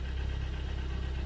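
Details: 2012 Hyundai ix35 G4KD engine, 124,000 km, heard from the cabin at idle: steady rapid knocking in time with the crank, piston knock; later repaired with bore to 0.5 oversize pistons, new exhaust camshaft and oil pump.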